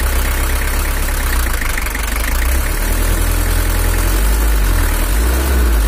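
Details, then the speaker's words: Toyota Hiace LH11 diesel (2L), better than before but not yet right: deep idle with an uneven, lumpy beat and shaky rhythm; suspected uneven injector nozzles or camshaft, one cylinder weak, not confirmed. "Suaranya udah agak mantap, tapi ada suara kayak bubuknya gitu, atau bisa jadi dari nozzle ada yang kurang abot. Ini suaranya udah renyah lagi. Sepertinya noken asnya atau nozzle-nya kurang rata, ada goyangnya, ada sedikit ginjal."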